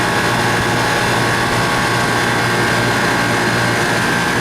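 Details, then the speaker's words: Refrigeration system in a greenhouse after removing water from the lines, an oil change and a long vacuum: compressor runs with a constant, even hum, low drone and steady hiss, no knocks; good amps, liquid line lukewarm, running smoothly. "I'm pretty happy with it systems running nice"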